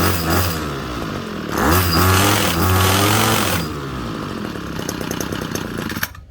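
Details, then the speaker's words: Ryobi HT26 26cc two-stroke gas hedge trimmer, 2016 model, discarded as non-starting, run at full throttle: small engine screams up then wavers and hunts instead of holding steady revs; carburetor settings off, needs adjusting. "So I can already tell just by running it on high a little bit there that it needs the carburetor set. The settings are definitely off on that."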